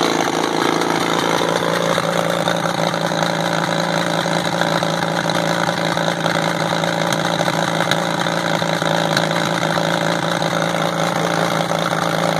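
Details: WWII-era Caterpillar RD4 bulldozer diesel, first start in 20 years after retrieval from a canyon: settles into an even, steady idling clatter after catching, with no misses or knocks. Runs smoothly; clutches seized so it won't drive.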